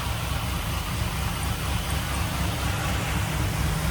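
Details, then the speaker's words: 1974 Jeep J10 with LS-swapped 4.8 V8 and BTR Truck Norris NSR cam, after replacing a broken number 7 rod with an eBay rod and piston, new head gasket and bolts; MAP sensor disconnected: low, even, smooth idle, quiet, no rattle or knock. "Truck sounds good, it's nice and quiet, no rattle."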